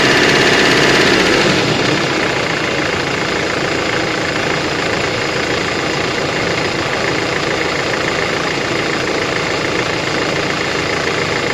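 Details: 2005 Mercedes-Benz Vito at a steady idle with a crisp, top-end-sounding tapping at about four per second. The sump was opened and crank and bearings look like new, so the owner suspects an injector or a hydraulic lifter; unconfirmed.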